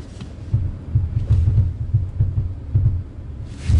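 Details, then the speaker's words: Alfa Romeo Giulia Quadrifoglio at crawling speed in cold weather, about minus 2.5°C: deep uneven thumps roughly two a second as the front wheels skip and scrub over the tarmac; worse when cold, eases once tyres warm up. "it's almost like the front wheels kind of skip over the tarmac and it's worse in very cold conditions"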